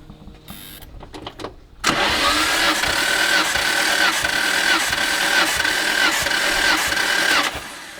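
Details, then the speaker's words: Nissan R32 GT-R RB26 engine, spark plugs out for compression test: starter spins engine freely with even whine and steady chirps about four per second, no drag; cylinder one reads 161, good cylinder. "161 is a good cylinder Ricky says right it's a good cylinder"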